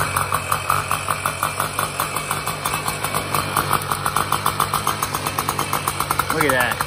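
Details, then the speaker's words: 2002 Tomos Targa moped, two-stroke 835 engine, about 320 miles, after fixing flooding float, stock exhaust: quick, even popping beat, steady and eager, no stumbling; normal running. "first kick i barely even take that thing look at that all right well now that we know that it runs pretty good"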